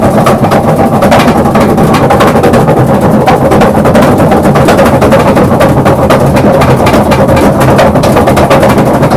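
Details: Maytag 3000 series washer: loud, rapid, uneven banging about four times a second, drowning everything else; always sounded a bit off, now pronounced; cause unclear.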